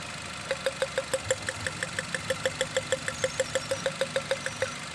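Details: Nissan X-Trail at idle, heard at the exhaust: sharp, even ticking about three times a second, with the engine shaking and coughing. The misfire is caused by worn iridium spark plugs past their service limit, before replacement.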